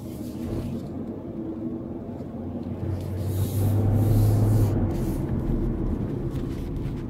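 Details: New 2015 Land Rover LR4 while driving: a deep whooshing roar from the radiator cooling fan swells and holds over road noise, independent of engine revs; abnormally loud fan roar.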